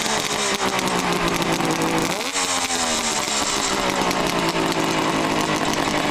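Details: 1971 Kawasaki H1A 500 two-stroke idling and revving, 7,500 miles since rebuild: a dry metallic clatter over the buzzy idle from new Wiseco forged pistons, which rattle when new.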